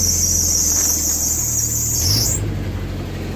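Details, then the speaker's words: 1995 Jeep Wrangler YJ with typical manifold leak, just started: loud piercing belt squeal sliding higher then fading. Cause suspected, not confirmed. "belt squeals pretty good starter motor doesn't even have hardly any lift annoyed"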